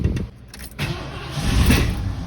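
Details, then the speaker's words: 1984 Ford Bronco XLT with variable venturi carburetor, sat 20 years, first start attempts with sticking throttle linkage: brief cranking catches and fires with a short sharp intake pop, then dies; small backfire on starting. "Oh, little backfire."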